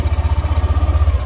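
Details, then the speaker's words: Yamaha NMAX v2 scooter after magneto and stator cleaning (previously ticking at magneto on starting): even low pulsing about fourteen beats a second at idle, no ticking or rattle; noise gone, healthy idle. "Pakinggan natin yung maingay na sinasabi mo kanina. Okay. Wala"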